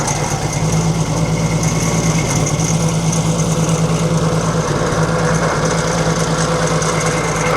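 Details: 1942 Chevrolet Blitz 4WD truck, 216 six-cylinder with Carter carburetor, gravity-fed fuel after sitting for years: steady low idle, even pulse about three beats a second, no knocks or ticks; running smoothly.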